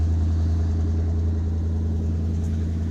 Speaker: Good to hear this old truck purr again.